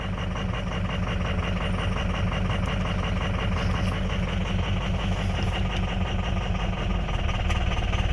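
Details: 2004 Ford F-350 6.0 Powerstroke diesel with a low-power complaint: an uneven, lumpy, tractor-like idle with dropped pulses. Cylinders 1, 4, 6 and 7 are not contributing because the injector control module (FICM) has failed.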